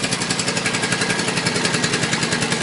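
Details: Suzuki Boulevard C50 800cc cruiser before cam chain rebuild: a fast, even metallic clatter of about a dozen ticks a second over the idle, like a sewing machine. It is a stretched cam chain slapping at the top of the rear cylinder.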